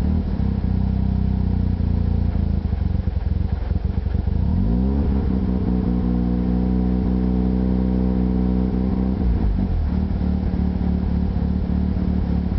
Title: rx7 rough idle